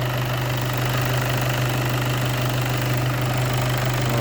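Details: VW Passat B8 2.0 TDI EA288 (DFGA) diesel after repair and coolant bleeding, warm idle near 90 °C coolant, thermostat not yet open: steady even clatter, low constant drone, no knocks or misses; normal.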